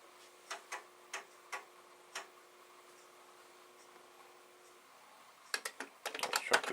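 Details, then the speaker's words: Commodore SFD-1001 IEEE single disk drive on a Commodore 8296, working after a swap of three chips, saving a program to disk: a handful of sharp, uneven head-stepping ticks, then quiet; normal floppy drive head stepping. "we're going to try and save this program on the disk it's been a while but I think that should do it"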